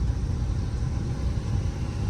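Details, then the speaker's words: Deep engine rumble while driving a 2003 vehicle, with an uneven, lumpy beat: the engine is misfiring and is judged to need a replacement motor. "She misfiring, but these 55 Titans are pretty easy to come by, thankfully."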